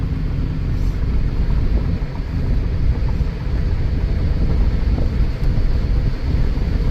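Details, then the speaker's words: 2011 Kia Soul cruising on a test drive, running and driving well: steady low road rumble with no clunks, knocks or rattles; no suspension noise heard. A traction control light came on just after, suspected wheel slippage. "I don't hear any suspension noise"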